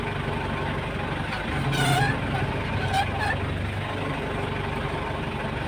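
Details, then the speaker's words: Mitsubishi L200 idling with a brief low groan and faint rising whine as the steering wheel is turned; power steering pump noise, fluid reservoir checked and full. "start natin ha start tapos ag pinipihit yung Manila tsaka iingay yan"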